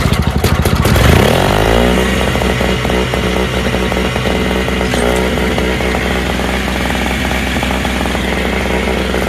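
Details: Toro/Craftsman single-stage snowblower sat over a year, needed much more than gas, the smoky hard one: a few pulls, then catches into a fast, slightly ragged small-engine buzz; now running.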